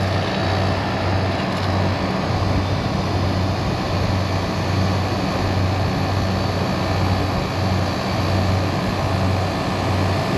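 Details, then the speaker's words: Refrigeration unit at a liquor store with a newly replaced condenser coil (old one leaked), head pressure rising: strong even whoosh with a gentle pulse about once a second as condenser fan number one kicks on; fans running healthy and steady. "Ripper head pressure comes up fans will kick on right let's hope there we go bam fan number one"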